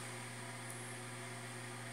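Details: Newly bought automatic egg incubator on its first test, temperature rising from about 23 °C toward 27 °C; faint steady low hum with an even light whir, the fan running very quietly and normally.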